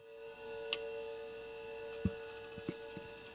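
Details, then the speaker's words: Old 40 MB hard drive from a vintage Macintosh LC, run on a bench hard-drive power supply. A steady high-pitched platter whine with a few scattered head-seek ticks, typical noisy old-school sound: normal spin-up. "that sounds completely normal kind of typical noisy old-school hard drive sound but excellent"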